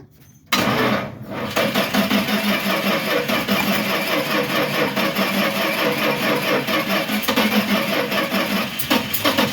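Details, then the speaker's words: Old Dodge four-wheel-drive truck, Little Red Express clone: starter cranks in a quick steady chatter but the engine never catches, starved of fuel by a blocked fuel hose or line before the fuel pump. "we had a blockage definitely a blocked hose or blocked line we now have fuel coming up to the fuel pump"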